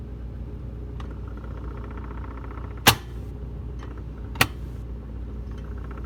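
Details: Whirlpool side-by-side refrigerator making two sharp knocks about a second and a half apart, with faint ticks between, over a steady low hum; the knocking's cause is unknown.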